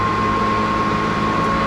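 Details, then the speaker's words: 2023 AGT Industrial Chinese mini excavator with a no-start, just-clicking issue, key turned to the run position: a steady, loud whoosh of cooling fans with a constant mid tone; fans running normally at key-on. "you're going to hear my fans kick on it's going to get a little loud but hopefully you'll be able to see what I'm talking about"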